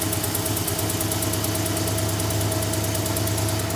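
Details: Old Dodge Ram, freshly installed untuned rebuilt carbureted V8 on first start: fast, uneven ticking puff about twice per second over rough idle; exhaust leak.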